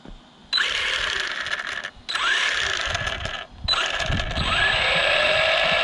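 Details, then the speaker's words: New Arrma Vortex electric RC truck on its first run: rapid, uneven ratchet-like clicking through the drivetrain during motor bursts, cause unknown; the driver's front wheel wobbles, possibly from a bent axle or wheel. "so i've got a clicking noise hear that so there's a weird click so i'm not sure what that clicking noise"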